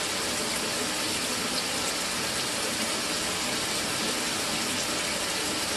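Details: Mira (Zora) shower after replacing the faulty solenoid valve that made flow stop and start intermittently a few minutes after switch-on: constant rushing water that never falters or cuts out; steady, healthy flow after repair.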